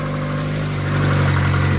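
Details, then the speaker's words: Chevrolet Aveo, 108,000 miles, after junkyard ignition module, spark plug wires replaced and battery back on: fires up and holds a low steady idle hum with no misfire or stumble, no check engine light; normal idle. "so try to fire it up oh my goodness it is alive"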